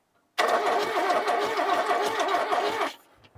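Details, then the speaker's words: Ford Courier that sat 30 years, heavier-duty starter switch, ignition unhooked, one spark plug removed: brisk cranking with lopsided galloping beat, much faster than before; uneven cranking from the missing plug. "and you hear that gallop normally that little would tell you that something's wrong with this engine that's just there because one of the spark plugs is out but that's spinning over much better"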